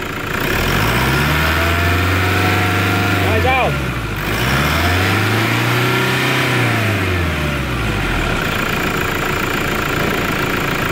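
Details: Toyota Hilux 3.0 after turbocharger replacement: idles then revs up and down twice smoothly, the earlier loud turbo noise gone, no whistle or howl; normal running after repair.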